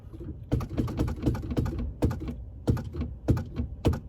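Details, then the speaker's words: Key on, brake pedal pressed rapidly, microphone near the shifter of a car stuck in park: sharp light clicks in quick bursts. This is the shift interlock solenoid operating normally to release the shifter; the brake switch may stick. "You hear that clicking noise? That clicking noise is the shift interlock. There's a little device in here that's releasing the shifter to be able to move."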